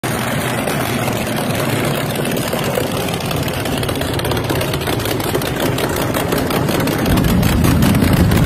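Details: 1981 Chevy Camaro Z28 with a built V8: deep, lumpy, uneven idle that never settles; owner says it is running rich.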